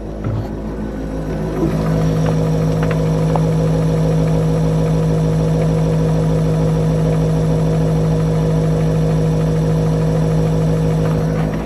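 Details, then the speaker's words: Boat electric drive, HPM48 motor on a newly installed EZKontrol 48-1200 controller after the old controller blew, running at about 1100 W with a steady low constant-pitch hum; throttle works correctly, owner unsure whether the hum is normal. "So I guess I don't know if that hum is normal or not. There's just like I said, there's a hum in there."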